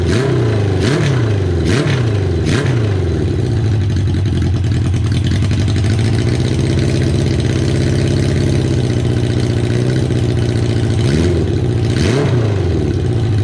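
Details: Kawasaki KZ550, carburetor just reassembled with air screw set about half a turn out, cylinder one idling poorly only at idle: uneven hunting idle with blips rising and falling unsteadily; intake vacuum leak from a split intake boot.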